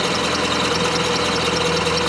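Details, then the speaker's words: 1990 Chevrolet Cavalier cold start: cold idle with thin steady high squeal over the engine; slipping accessory belt squealing, engine otherwise idling without misfire. "see if she'll start today it did holy [ __ ] besides the squeaky belt"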